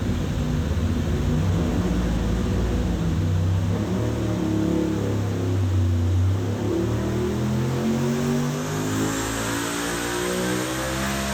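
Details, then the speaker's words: Turbo engine on a FuelTech FT600 system under full load, boost curve being tuned: pitch climbs smoothly toward 8000 rpm with no misfire or knock, making 282 at 8000 and peak torque near 7800. Normal full-load run. "all righty you can hear it starts uh starts sounding angry doesn't it yeah sounds good yeah sounds good"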